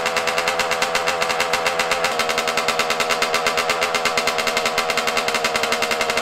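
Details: Yamaha YZ125 two-stroke, cold at about 20 degrees outside, before carburetor air screw and idle adjustment: fast, sharp popping at high idle with a ringing exhaust that never settles; rough, off-tune running needing carb adjustment.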